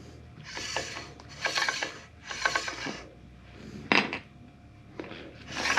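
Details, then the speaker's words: KOMOTO X1500 electric snow scooter, front wheel just installed: a scraping swish about once a second as the wheel turns, the brake disc rubbing a misaligned caliper; fixed by adjusting the top and bottom caliper screws and adding washers behind as spacers. "this screw and this screw, top and bottom, to get it so that way it won't rub."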